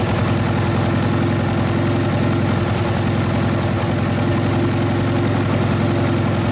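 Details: 1999 80ci Evo V-twin, rigid frame, after low-speed jet raised to 29.5: lumpy rumble around 200 pulses a minute, taking throttle better and healthier, full throttle not too rich; normal running.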